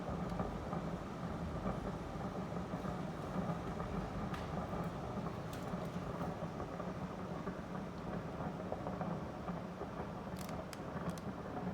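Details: Daikin Urusara AN40PRP-W air conditioner: constant low bubbling and rumbling with an occasional crackle, quite loud, like water boiling in the line; the owner thinks it is water. Cause not confirmed.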